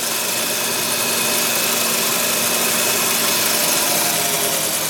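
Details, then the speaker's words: Audi 100 Typ 44 2.3L NF engine at idle with faulty lambda sensor unplugged: smooth, even idle with steady hiss, no hunting; returns to mechanical base setting, 0 mA pressure actuator current instead of enriched idle over 1200 rpm. "schon geht es wieder in die mechanische grundeinstellung milliampere"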